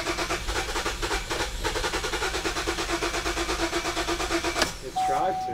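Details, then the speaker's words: 2009 Buick Enclave with rodent-damaged wiring, no communication with the fuel pump control module and a previously replaced pump. Even cranking, then a brief catch on starting fluid sprayed behind the mass airflow sensor, then an immediate stall. Fuel delivery fault; pump suspected of not running. "all right so there's your start run stall this is fuel related we are attacking this code for sure as a starting point"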